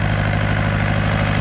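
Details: Yanmar TK486 2-liter four-cylinder diesel, injector lines open and leaking fuel: steady, even diesel clatter at idle with a slight turbo-like whistle, no misses or knocks. Healthy running engine.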